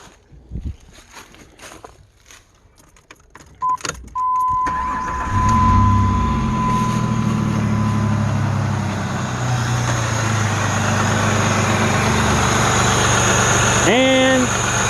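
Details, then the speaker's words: Jeep Liberty 3.7 Chrysler engine after rocker arm replacement, valve cover back on: chime and key sounds, then cranks, catches and settles into a steady, even idle with no valvetrain ticking; sounds good. "it does sound good and uh all we have to do now is tighten these bolts up here reinstall the air box and it'll be ready to go"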